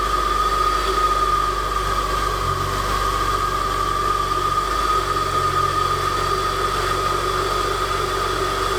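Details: Saab 9-5 NG A20NFT turbo, first test start after K04 turbo rebuild with billet compressor wheel: loud, even engine rush with steady high whine at idle, secondary air pump blowing normally on cold start.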